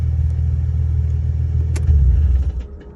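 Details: Nissan 350Z, heard after switching off with the clutch pedal in versus out: engine rumble cuts off, then a brief irregular metallic rattle as it winds down; the rattle depends on clutch position and is probably drivetrain, not engine.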